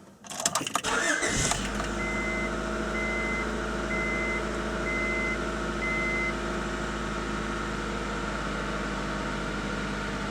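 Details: 1994–97 Honda Accord (California emissions) after replacing a leaking muffler: engine catches after a brief crank and settles into a smooth, even idle with a steady low exhaust note. Normal idle.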